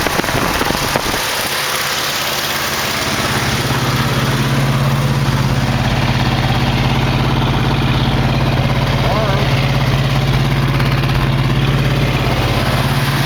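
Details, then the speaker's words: 1968 AMX, 360 go pack swapped to a 401, running with one plug wire off: steady but lopsided idle with an uneven chuff about three to four per second from the dead cylinder; owner suspects bad plugs and wires, carburetor also needs work. "well he ain't one plug off and that was it don't look like it's fine there i imagine these plugs are bad"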